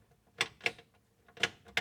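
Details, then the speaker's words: While wiring an HP Tuners Core ECU and testing the 12 V ignition feed: four crisp, separate clicks in about two seconds with quiet between them; just relays pulling in, normal. "Relays. Okay, just relays."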